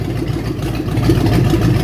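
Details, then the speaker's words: 1967 Mustang V8 with mild cam, fired up, new cooling system being fitted: deep steady idle with gentle rhythmic lope in the low rumble, even and unbroken; healthy engine. "It's got a mild cam in it. Well, I'm impressed."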